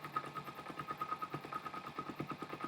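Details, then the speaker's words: Motorcycle carburetor, cylinder one, after turning the pilot screw back out counter-clockwise to richen a too-lean mixture: idle sounds better and runs even and steady, about eight firing pulses a second, no misses; normal idle. "the sounds a little better already see the idol has changed a little"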